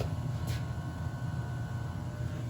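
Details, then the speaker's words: Gas hydronic multi-zone boiler just after a bad thermostat was replaced and set to heat: even low burner rumble with faint steady hum, no rough pulsing; boiler firing cleanly. "i bet you the boiler just turned on let's go see [Music] yep i hear it sure enough"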